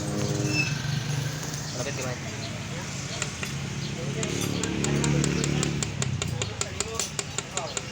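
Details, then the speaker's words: Yamaha Mio MXi 125 scooter, noisy engine, throttle revved: sharp metallic raps over the engine note that keep clattering as revs settle; connecting rod confirmed excessively loose. "So ito confirm natin sira yung kanyang conting Rod so bibiyakin na natin itong kanyang makina"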